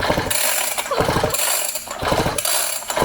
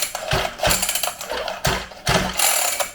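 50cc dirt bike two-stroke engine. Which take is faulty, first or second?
first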